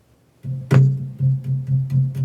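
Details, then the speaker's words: Pro-Ject Debut Carbon DC turntable, dust cover closed, needle on record: each tap comes through speakers as a deep boomy thump, cover vibration reaching the needle; removing the dust cover greatly reduces unwanted noise. "There's all that vibration that can be caused when the dust cover is on there."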